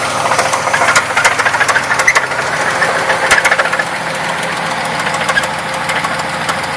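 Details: 1994 Buick Park Avenue idling with a sharp, uneven metallic knock three or four per second, deep inside the engine, starting suddenly weeks after purchase; owner suspects rod knock, unconfirmed.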